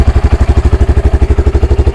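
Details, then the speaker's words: Honda Grom single-cylinder warm engine idling evenly around 1500–1600 rpm after resetting fuel mixture screw to 2.5 turns and adjusting idle; steady, healthy pulses, previously surging. "So they say they want it about 1600 turns? 1600 normally. I mean, that sounds good."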